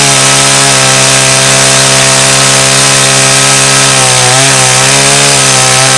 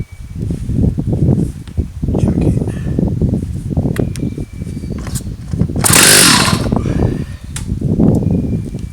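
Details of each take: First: About 35-year-old Stihl 084 AV chainsaw, restored and cutting a slab from Australian red gum; strong, steady high snarl holds pitch through the cut without bogging, pulling cleanly and healthy. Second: Stihl 084 AV chainsaw, about 35 years old, recovered from the tip, freshly fuelled with good compression; uneven sputtering pulls with a sharp pop as it backfires and kicks back instead of catching, before a carburetor tune-up.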